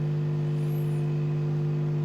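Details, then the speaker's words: Amplifier with both channels humming loudly: steady, unchanging low mains hum caused by reversed transformer winding connections on a shared breaker phase. The fix is rerouting the 0/220 V wires from the switch to the transformer. "Hai apa kabar dengung juga ya keduanya berdengung karena apa cb-nya jadi satu yang fasenya"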